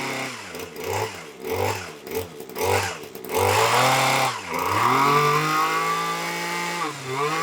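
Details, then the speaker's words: TITAN two-stroke hedge trimmer, glued back together, warming up on choke with a low tickover and fuel containing some nitro/glow fuel: bursts and sags unevenly, then a higher wavering buzz; runs right on choke but poorly off it. "well it seems to run right on the choke but not very well um off the choke"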